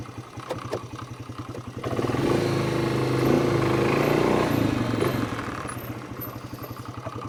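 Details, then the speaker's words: 2006 Polaris Hawkeye ATV with new CVT belt, revving under load near the reverse rev limit: quick rattling clank riding on the engine, about four per second; clutch rollers clanking. "you hear them uh clutch rollers klank"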